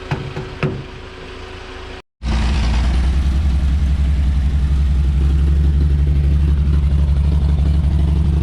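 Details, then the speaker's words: 1954 Chevrolet 3100 six, rebuilt then stored ~15–17 years in a chicken coop; timing slightly out, vacuum advance turns distributor: barely running, uneven stumbling at about four pulses a second, hitting and missing hard; owner says it needs a carburettor. "hitting and missing hard. She really needs that carb."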